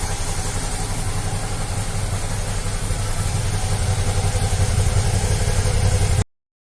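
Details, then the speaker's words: 2014 Suzuki V-Strom 650 ABS, warm, after replacing small hoses to cure an air-leak-like exhaust bubbling at idle: even steady low thump about 220 beats a minute, no exhaust popping; running clean. "a moto agora tá redondinha e sem problema um funcionando filé"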